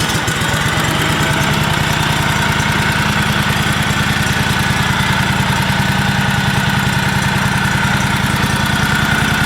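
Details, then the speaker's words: Kawasaki V-twin on a John Deere 757 Z-Trak, idling after a down-cylinder repair and now running on all cylinders: a fast, even light tick about three per second. Owner suspects lifter or valve tick from imperfectly adjusted valves and rocker arms. "here now I don't know if you can hear that in the video but I hear what I think is like a lifter tick on on the on the valves there so but it it is running on all cylinders so I'm I'm happy with that"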